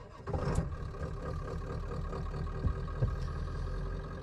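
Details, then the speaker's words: Ford F-350 with 7.3 diesel, about 100,000 miles, starting in neutral: catches and settles into an even low idle with steady clatter, no misses or knocks; normal idle, cab somewhat loud inside. "So, it fires right up. It's a great truck. Uh, it's a little bit loud inside."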